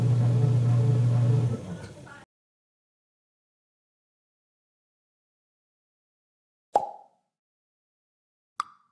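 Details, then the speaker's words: Washing machine after replacing the worn gear case: about two seconds of smooth, steady low motor hum with no grinding or clunking; noise gone, normal operation. "Ayan na po yung kinalabasan, wala nang ingay."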